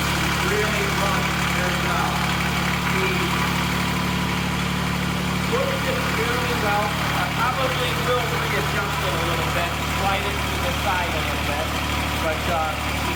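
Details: Restored Cub Cadet 782 diesel garden tractor at the end of the project, restarted; low, steady idle chug with an even beat and no knocks or stumbles, running clean and settled.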